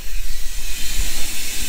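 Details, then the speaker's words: 2009 Sea-Doo Speedster 150 with speed loss and hesitation, cooling system pressurised to about 10–15 psi: a loud, steady rush of air escapes the rear flush port through a freeze-cracked intercooler water passage. The intercooler was replaced. "yes, there is a significant leak somewhere. Let's see if I can hear it in the back. And yes, there is a massive amount of air coming out of that the flush port in here."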